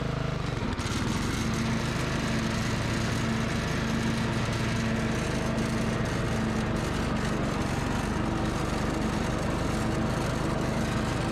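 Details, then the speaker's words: Yard Machines by MTD model 638 RL riding mower, after replacing the gas tank, fuel line and fuel filter, cleaning the carburetor twice, and fitting a new air filter and blades. Steady, even single-cylinder drone with no surging or dying; normal running. "और हम इसे test run के लिए ले जाएंगे और देखेंगे कि क्या हमें इस पर कोई फर्क पड़ा है, मुझे आखिरकार यह सही चल रहा है"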